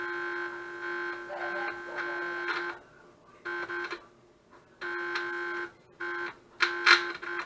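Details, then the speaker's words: Counterfeit Casio SA-21 keyboard made by Huaxin, circuit-bending attempt. The speaker gives a harsh, steady low-pitched hum or buzz cutting in and out, the only sound it now makes after the board was damaged. Cause not confirmed. "Because you hear it make some humming noise. So I wanted it to make some real sounds and pitch bending and stuff, but this thing doesn't even allow me to circuit bend it."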